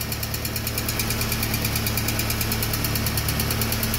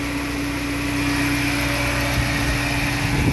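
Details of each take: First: VW AP 1.6 G3 Flex engine just started after oil pump replacement and a larger oil filter, still lightly tapping its hydraulic lifters at about three ticks a second; oil pressure was 3 bar cold, dropping to 1 bar at hot idle. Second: VW AP 1.6 flex (G3 generation) petrol engine that had hydraulic lifter tapping and low hot oil pressure, warm at 90 °C and idling after lifters pumped up: smooth, even hum, no lifter tap. Normal warm idle.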